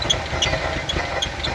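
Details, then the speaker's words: 1988 VW Vanagon during cooling system hose replacement, coolant spewing when revved and battery nearly dead; idle lumpy and uneven with stumbling exhaust pulse, misfiring, cause not yet known. "This does not sound healthy. Doesn't sound healthy at all."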